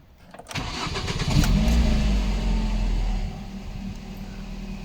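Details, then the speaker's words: Ford Focus after fixing the stall-after-start fault caused by a faulty non-standard radio lock relay: cranks briefly, catches and settles into a steady, even low idle with no misfire or knocking; healthy start. "В общем-то, вот так, на этом все. Машина заработала. Заработала. Арбайтон."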